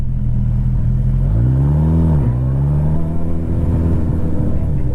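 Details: Motorcycle after a whole bottle of Sea Foam in about 5.5 gallons of fuel and half a tank of hard riding: clean rev rising and falling, then smooth even idle with no misses; runs healthy now.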